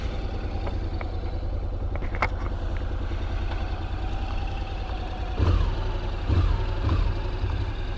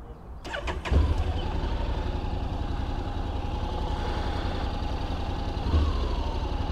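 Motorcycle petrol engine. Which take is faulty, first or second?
first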